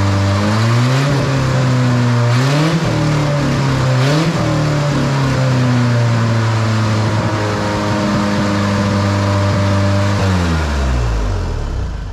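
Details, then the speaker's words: 1977 Ford Pinto wagon with a 1993 Mustang 2.3L EFI swap, ignition and fuel pump powered by a manual switch, first runs: engine settles at a steady fast idle with brief blips, far too high; can't regulate idle, owner suspects idle air control. "it runs that grabing way too high yeah it's too high it'll figure it out or I'll figure it out"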